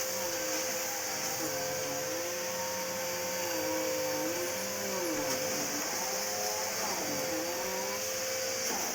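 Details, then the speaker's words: Bissell Power Force bagless vacuum picking up test debris makes a steady high whistle with wavering, warbling tones over the motor, a noise it has never made before. It spat debris everywhere and turned some items to powder. "Bissel has never made that noise before. But it's basically spat everything everywhere I gave it."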